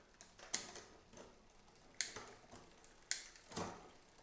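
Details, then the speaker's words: New Cyrusher Bandit e-bike during assembly, cranks turned. Sharp, uneven metallic ticks about every second as the chain tries to climb to the next gear; rear derailleur indexing is off, adjusted with the barrel adjuster. "so you can hear it clicking there right so it means it needs to go up so it's trying to go uh up to the next gear"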